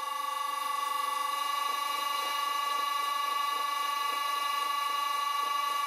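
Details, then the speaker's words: Vintage Kargar lathe with newly installed motor and VFD, center drilling at 60 Hz: steady high electric whine with a faint throb about four times a second as the motor starts to vibrate; motor mounting bolts possibly working loose. "That was still 60 hertz, but the motor starts to vibrate."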